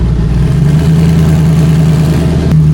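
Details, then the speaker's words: Twin Precision 6266 turbo race car after relocating the battery, charging at 14.4–14.5 V, starting much better: strong low engine rumble with a steady lopey idle, firing even and continuous, fan and turbos running; normal running. "Good voltage. Starts up way better now. Oh my gosh. I hope you can hear me with the fan and the turbo's going, but alright, we can go ahead and kill it before we pass away from carbon monoxide."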